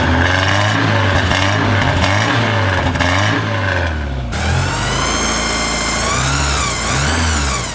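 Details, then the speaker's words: Porsche 944 four-cylinder after DIY service (timing belts, water pump, gaskets, cam housing, fuel injectors, oil, filters), not fully warm: crisp even note climbing smoothly through revs and dropping back cleanly, no knocks or slap; runs well. "all righty guys so it runs in a run very happy I feel good about the belts everything spikes down"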